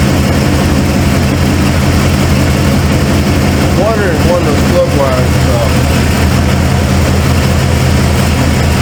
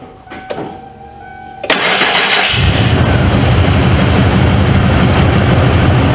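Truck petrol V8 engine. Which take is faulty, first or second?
first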